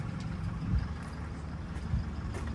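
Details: Rebuilt semi truck diesel with a new PDI turbo, PDI manifold and all-new exhaust: a low, even rumble with a steady beat and no knocks or misses, idling smoothly.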